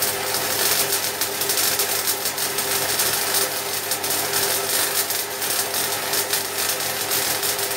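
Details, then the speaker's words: MIG welding 3 mm steel at maximum voltage, shielding gas 3 L/min, wire speed being set: steady even frying-bacon crackle with no pops or bangs, the sound of correct wire speed; banging would indicate insufficient shielding gas. "as it's on deliberative are you could hear that crackling sound that's the sound that you want"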